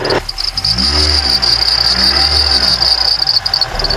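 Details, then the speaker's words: Mitsubishi Outlander accessory drive belt squealing with a steady high whistle at idle, slipping at -5°C outside temperature; the belt was replaced 10,000 km earlier, and a belt conditioner spray is applied as the fix. "the drive belt in my outland started whistling now. The outside temperature has dropped to -5°."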